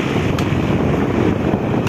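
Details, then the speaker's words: Repaired electric fan with banana-type blade replacing original: steady full rush of air, no knock, rub or wobble; rebuilt fan runs smooth. "Diba? Sobrang ganda na yung buga ng hangin niya."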